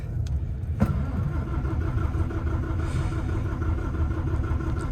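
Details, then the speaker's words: Develon DL420-5 wheel loader diesel after a service with fuel filters changed one at a time and the fuel bled, engine management light on (possibly EGR): the starter catches and it fires at once into a steady, even idle. "Oh, right, she's away. Hey, we did a good job of bleeding the fuel, didn't we?"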